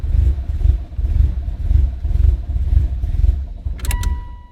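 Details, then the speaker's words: First start of a fully built 2008-2015 Mitsubishi Evo X with new cams and AMS fuel rail: engine lumps and surges about twice a second, cannot hold idle; running very rough, seemingly super rich, cause unconfirmed. "guys there is the very very first startup of the Evo 10 it is running really rough it seems like sorting super rich"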